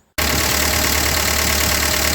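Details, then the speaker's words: Ford 2N tractor engine just started with choke after rescue, fan belt off and generator removed so water pump not turning; catches at once and settles into a steady, even low rumble with no misses or knocks, running cleanly. "well what do you think of that she's running"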